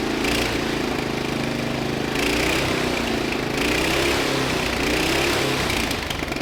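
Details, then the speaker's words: 2000 Murray LT1000 lowered riding mower single-cylinder, new exhaust, jump-started: loud fast steady beat instead of slow idle; throttle return holding high RPM, backing out idle set screw changed nothing. "the last thing is the throttle return I noticed uh it seemed to be holding at a pretty high RPM just idling"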